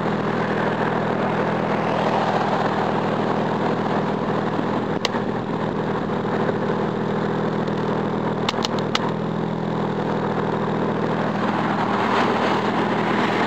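Steady idle with a slightly uneven, lumpy beat and a few odd clicks; rough running, possibly a misfire but unconfirmed.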